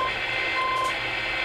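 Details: CB radio on AM in central Iowa: steady hiss with faint fixed whistling tones that waver briefly; the interference wandered across channels 15 to 20 then vanished, source unidentified.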